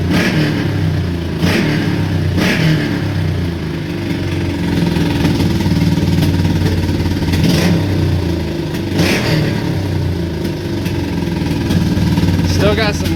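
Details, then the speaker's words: 1984 Honda Shadow motorcycle after fuel pump, fuel system and carb float work, old spark plugs still fitted: uneven fast idle with lumpy beat and occasional stumbles; still rough, owner suspects fuel or old spark plugs. "needs to be run a lot more i'm thinking that's either between the fuel that i've got in it or the spark plugs that are still in it"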